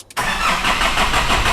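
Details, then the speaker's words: 2005 Nissan Navara D22 with 3.0 ZD30 turbo diesel, non-common-rail rotary injection pump: starter cranks the engine at an even rhythm but it never catches. Crank no start, cause unknown; high-pressure pump being tested. "yeah it cranks but it does not start"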